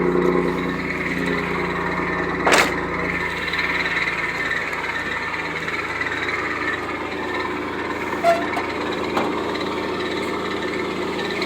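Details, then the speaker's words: 1991 Pontiac Firebird 3.1 V6 running: constant rough whirring rush from the front of the engine with a couple of sharp ticks; the smog (air injection) pump is failing and is being replaced. "if your smog's going out, that's the noise it's going to cause."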